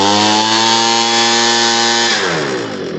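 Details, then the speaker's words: Homelite 26B blower after carburetor and fuel line replacement, carb adjusted to full rev: steady high two-stroke scream at full throttle for two seconds, then winds down smoothly when shut off; normal running. "Clockwise, so it's full rev. That's perfect."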